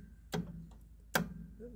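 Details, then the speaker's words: Club Car golf cart solenoid tested with voltmeter from terminal to battery while pressing pedal: two sharp clicks, no motor following and no or irregular voltage; faulty solenoid with scored contacts, needs replacing. "there's one so basically that solenoid has got some scoring on it and that one needs to be replaced also"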